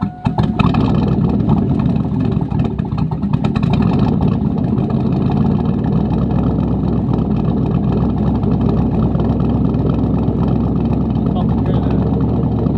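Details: Lifted 2002 Chevy Tahoe with a cammed 450 HP crate motor, after a fix: a steady, choppy V8 idle holding an even beat after startup, no surging or stalling. Normal cammed idle.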